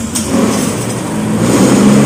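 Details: Honda Vario scooter (125/150, 2013-onward model) revving gently with throttle; steady, even, smooth low hum with no knocks or rattles, engine described as smooth, normal and healthy.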